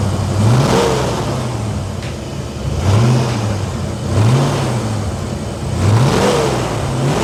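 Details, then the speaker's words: 1989 Ford Mustang GT V8 revved with camera on stand after new fuel system: several quick blips rising and falling smoothly, even exhaust note, no misfire or knock; healthy revving. "oh she sounds extremely well so good can't wait to actually take this thing out on the road and be able to beat the living crap out of it let me put the camera on the stand so you guys can hear it while I rev it"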